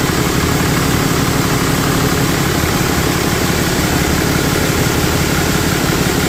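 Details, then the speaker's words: Idle on a 4th-gen Ram 3500 Cummins at first start after a cheap HE351VE VGT turbo rebuild; actuator off, assembly lube used. Steady, even diesel rumble with no rattles, squeals or whistles; engine and turbo sound healthy. Small oil leak at the empty VGT sensor port. "I think it's working. Boom, guys. Everything's working good."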